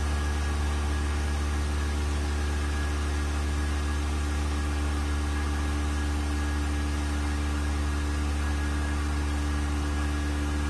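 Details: Vacuum pump on a 1600-litre mixer during a vacuum test with lid bolts fastened and an empty chamber, gauge vacuum rising toward 0.08; even, steady low hum with constant tone, no knocks or rattles, quiet good-quality pump running normally.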